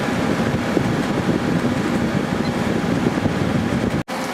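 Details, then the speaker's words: 2003 GE 12,400 BTU window air conditioner made by Samsung, after cleaning, on high fan at about 11.3–11.4 amps: very strong steady airflow over an even low hum, no rattles or knocks; head pressure went down, running normally. "Airflow out of here is incredibly strong on this unit, and we're back down to about 11.3, and it's still running on high speed, so the head pressure went down."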